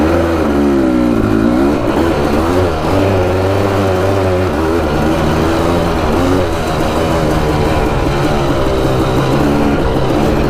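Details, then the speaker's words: 1987 Suzuki LT500 Quadzilla, warmed up, on a ride: engine revs up and down in quick pulls with a raspy, slightly flat tone, revving up on clutch release; owner suspects lean running from a small air leak or a dirty air filter. "The other thing was the engine sounds like it's running a little bit lean. When you let off the clutch, you can hear it rev up a little bit."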